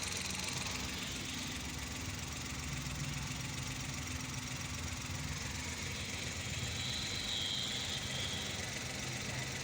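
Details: 2012 Mazda badged as a Suzuki Every (Suzuki engine) with check-engine light and code P0303 cylinder 3 misfire; steady, even idle with a smooth low beat, no knocks or stumbles, sounding healthy after the repair fitting was completed.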